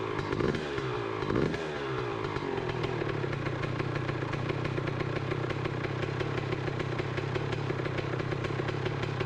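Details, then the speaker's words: 2007 Honda CR125R two-stroke first start after rebuild, started on one kick: quick even crackling idle, no knocking or needle bearing noise, healthy. "well that was easy enough one good kick and it started right up doesn't sound bad"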